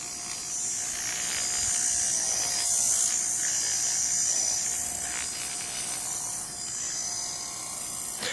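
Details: Mercedes 600SL throttle body motor bench-run after electronics cleaner: small motor spins fast with a thin steady whine and buzzy rattling vibration at high speed; pitch changes with voltage, noise fading at lower speed.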